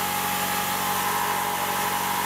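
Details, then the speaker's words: New replacement air compressor, not bolted down, on its first unloaded break-in run without building pressure: an even motor whine at fixed pitch and a steady drone, no knocks or rattles, virtually no vibration. Healthy compressor. "compressor it's not really that loud not got it bolted down and has no vibration at all I mean virtually none"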